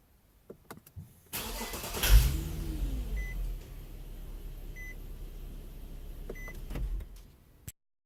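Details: 2013 Infiniti G37 V6 during hot crank: single hard knock just as engine catches, then idle with chimes; new OEM plugs, swapped coils and fuel damper changed nothing, 2015 loaner does same; owner suspects winter gas or rail dampers.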